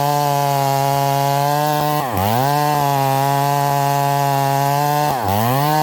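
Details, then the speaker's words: Long-parked Stihl 038 Magnum after clutch repair (possibly 044 springs), new sharp 3/8 chain, cutting wood: a high full-throttle buzz that sags twice on entering the cut. It runs very rich and smoky with no pull. "so you guys notice the saw sounds really, really rich. It's really smoky. It's not pulling the chain"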